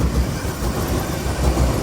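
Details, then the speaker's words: Suburban at idle after the spark plugs and wires were checked: lumpy, uneven idle with irregular low thumps, like a cylinder dropping out, engine shaking. The misfire persists; cause unknown. "Well, as you can hear, it's definitely fixed. No, not even a little bit. Look how rough this thing"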